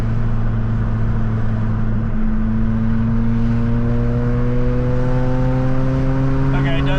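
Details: Toyota Matrix XRS E130, 2ZZ manual, on its test drive up to 60 mph after a clutch disc realignment and new CV axles, loud exhaust: engine note climbs through the gears over a droning buzz that rises with speed; loose exhaust drone.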